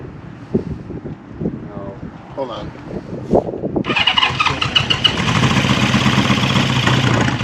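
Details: 1974 Honda CB550 four on first start during restoration, tank off, fuel primed straight into the cylinders: quiet clatter and handling, then it catches and runs raggedly a few seconds on fuel or starting fluid left in the tubes before stopping.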